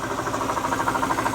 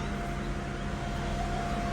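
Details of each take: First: Mercedes SL500 ABC tandem pump, still working as power steering after driving Florida to Ohio: rapid even knocking about ten times a second over the running engine, pump no good; replaced with standard power steering pump. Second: Mercedes SL500 at 46,000 miles, after its ABC tandem pump was replaced with a standard power steering pump and the fluid topped off: smooth, even hum while steering with no moan or growl. The power steering pump sounds normal.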